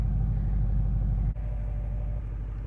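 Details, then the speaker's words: Ford 6.0 Powerstroke diesel after replacing passenger-side number 1 injector (cylinder contribution/balance code); low even idle clatter, smooth steady rhythm, no misfire, no check engine lights, slight initial smoke clearing quickly; normal diesel idle. "Look at that, nice and smooth. That's what we like."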